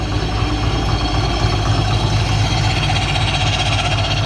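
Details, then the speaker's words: Subaru EJ208 engine tested for knock at about 800 rpm: a steady, even idle with a smooth low drone and no ticking or knocking. Cylinder 4 does not knock and the belt is in good condition; the engine sounds healthy. "Все тихо. Мотор 58 45 28. Четвертый не стучит. Все отлично."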